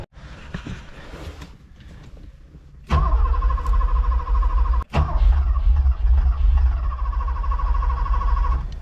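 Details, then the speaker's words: Porsche 928 manual sitting long unused, fuel smell, antifreeze spotted underneath: loud rhythmic cranking that pauses and resumes with uneven banging thumps, never catching; cranks but won't start. "I'm hearing some banging all right I am smelling fuel so I'm gonna go check things out"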